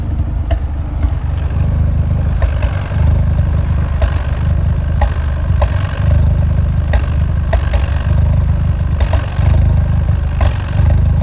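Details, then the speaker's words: Fiat 124 Spider 1.4L MultiAir Turbo exhaust at idle, extremely rough and lumpy with irregular thumps; cylinder 4 misfire, occurs randomly when stopped; suspected camshaft issue. "so it's extremely rough as you can hear it was misfiring on cylinder 4 and I would get this randomly just when I am stopped at a red light"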